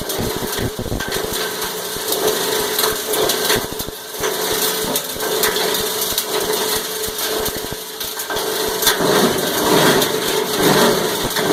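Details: Cumberland 7.5 hp granulator, 12x12 cutting chamber, chopping about 10 lb of taped 3-conductor multi-strand copper wire with connectors: constant crunching over a motor that surges and eases as wire rolls through; normal operation under load.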